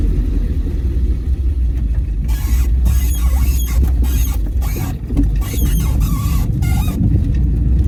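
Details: Triumph TR7 under restoration: engine idling low while sharp high squeals come in bursts over about five seconds when reversing left on full lock; source not found under the car.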